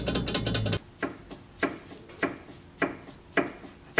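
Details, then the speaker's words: Car driven over dips and dirt roads: sharp, hollow clunks about every half second as the suspension moves; worn, loose front stabilizer links rattling. "usualmente cuando vas manejando y pasas por desniveles o caminos por mucha terracería es cuando más suenan"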